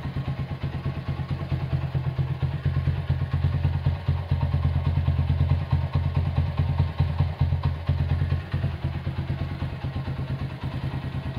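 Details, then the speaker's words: Honda CB100 K3 with CDI at idle: low thumping idle with loose clatter about twice per second from mid-engine while head sounds smooth; suspected crankshaft or clutch noise, source unconfirmed. "Head juga suaranya halus. Ada suara di bagian tengah, kemungkinan keruk as atau mungkin kopling."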